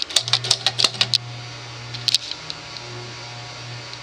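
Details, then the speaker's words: Diehl 52-inch antique ceiling fan, late 1920s-early 1930s, 3-speed pullchain with speed coil, worn shaft, filled with about three ounces SAE 30 oil: steady low electrical buzz from speed coil under fan, few sharp clicks, furnace in background. "can hear the buzz and also the furnace in the background it is a speed it uses a coil for speed speed coil"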